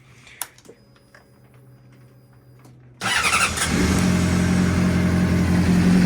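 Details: 2005 Honda CBR600RR after repair with new cam timing chain and manual cam chain tensioner replacing rattling hydraulic units: after a short quiet spell the engine catches and runs smooth and even when blipped, no chain slap or whirr; normal running.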